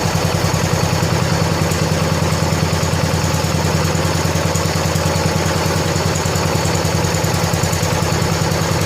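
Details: 1970 John Deere 140 H3 garden tractor single-cylinder, just after replacing a severely leaking blown head gasket: even putter at idle with steady low pulses, no misses or knocks; fired right up, runs good and quiet, burning off some oil.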